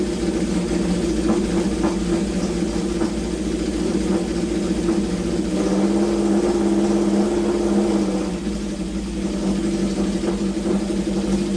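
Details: Honda CB750 four-cylinder, sat around two years or more, restarted after draining overfilled oil to proper level: steady burble picking up cleanly on blips, firing on all four, no big smoke, good compression; normal idle and revving.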